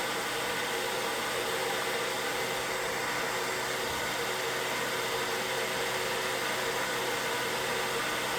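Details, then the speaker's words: Diode laser engraver cooling fan with its metal grill replaced by a custom 3D-printed cover, meter reading about 2.4–2.5: an even, soft airy whoosh with a faint steady hum and no rattle or tick; normal fan running. "I think that is an even softer noise that that isn't hurting my ears whatsoever"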